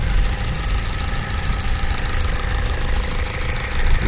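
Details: Opel Corsa D, Z14XEP 1.4 16V 90 hp TwinPort petrol engine, just after a timing chain kit replacement: light, quick, even ticking over a steady warm idle. Only the injectors are heard, with no timing-chain noise, which is normal.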